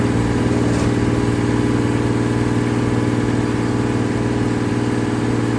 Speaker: dang listen to her purr I think we're in a much better place